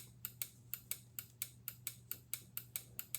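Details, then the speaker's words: PCB relay under test with energized coil and all contact groups good: crisp, sharp clicks about four a second over a low steady hum, normal switching. "so the contacts of this relay are just fine together with the coil you can hear the relay making noise"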